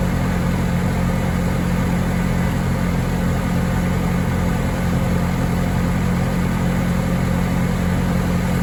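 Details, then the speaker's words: Bobcat T870 track loader after rebuilt drive motor, new sprockets, idlers and tracks, driven by joystick while the hydraulic system bleeds: steady, even low drone, no whining or grinding. Drive motor healthy. "so once we fired up the machine was looking for any major leaks any issues with the drive motor itself so i was able to hop in there get it turning it runs under the power of the joystick"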